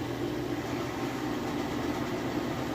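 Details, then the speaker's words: Whirlpool Cabrio high-efficiency washer at high-speed final spin, very heavy load of jeans and towels, drain pump pulling water out; steady even hum, no shaking, rumble, grinding or thumping. Bearings sound healthy, normal spin. "As it spins at this high speed, all the water gets thrown from the clothes, and of course it's sucking the water out. But you can see here it is very smooth. There's no shakes or anything like that."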